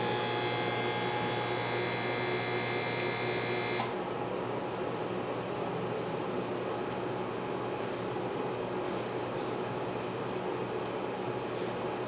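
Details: GE Spacemaker JVM1752 microwave, about a year old, at power level 5: harsh loud mains-pitch buzz that cuts on and off as power cycles (constant at level 10). Transformer and magnetron both replaced; owner believes the transformer failed.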